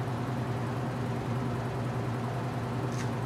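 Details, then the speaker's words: Top-load washer with replacement motor, cold during winterization, ramping up in spin: slow to reach speed, then steady smooth hum at full speed; rubber fill hoses squeaking, tub bearing starting to go, motor or belt slightly unhappy. "takes a little time to get up the speed it's cold I don't blame it I'm a little slow when I'm cold too but that's about full speed now smoothed out very"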